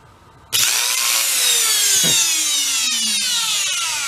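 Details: Trash-picked Hoover Elite carpet shampooer motor, previously smoked, now run with one fan fitted for cooling: high fast whine spins up and slowly sags, with harsh crackly fizz from brush arcing, still as sparky or worse.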